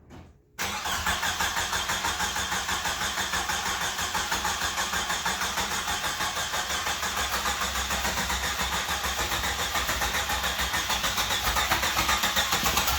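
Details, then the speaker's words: 1995 Jeep Wrangler YJ, first start in years after a bad fuel pump and rotten gasoline, now with a new fuel pump module and a Flowmaster-style high-flow muffler: it cranks briefly, catches at once and settles into a smooth, even beat. Healthy engine, no knocks or misses. "yeah give it hell oh listen to that smoothness [Applause] it's alive"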